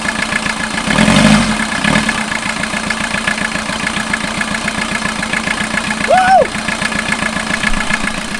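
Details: 1989 VW Jetta mk2 diesel, 5-speed, about 118,000 miles, started after sitting about 14 years, with new fuel and a new battery: after a brief rev, a steady diesel clatter settles to an even idle with no misfire or surging; normal idle.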